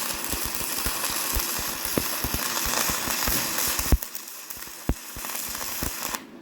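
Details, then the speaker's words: YESWELDER 205DS on 110V, first gasless flux-core beads on DCEN with settings not dialed in: crackling arc with sharp irregular pops and snaps, then it cuts out; heavy spatter, switching to DCEP planned. "Overall, I was pretty happy with these beads considering they were the first ones on the new welder, and we didn't quite have the settings dialed in, but it was a good test run. I've always been taught to use DCEN for flux core, but I didn't like how much spatter it was producing, so I'm going to switch it to DCEP here"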